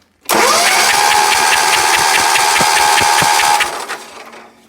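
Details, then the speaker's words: Sears ST/16 garden tractor, long-stored hoarder find, oil slightly overfull, spark confirmed: starter whine with steady compression beats about two and a half per second, never catches; crank no start, no fuel in it. "got spark we just got to get gassed and see if this motor will run"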